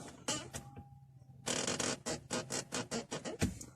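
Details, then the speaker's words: Audi A6 C6: quick dry creaks and squeaks with each clutch pedal stroke, heard in the quiet cabin; the squeak comes from somewhere on the cabin side. "всем доброго времени суток столкнулся с такой проблемой что начал скрипеть педаль сцепления автомобиль audi a6 c6"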